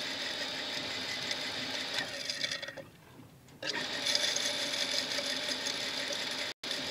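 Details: Shimizu water pump motor that first would not spin, then ran after restarts: a harsh, gritty high-pitched grinding that briefly dips and returns. Sand inside is suspected, not confirmed.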